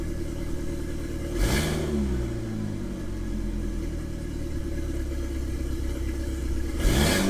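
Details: 1997 Mitsubishi Eclipse GSX 6-bolt swap, long-sitting engine, after rewiring cam angle sensor: catches and settles into steady, even idle with smooth low hum, no knocking or missing; first start, running fine.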